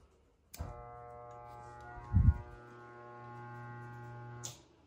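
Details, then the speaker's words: Old RV rooftop air conditioner on a fifth wheel camper, rebuilt with used parts: switched on, a steady low electrical hum with a brief thump but no fan rush; motor hums but does not spin, likely needs replacement. "okay just replace the uh capacitors up there I you know probably just going to have to replace the air conditioner"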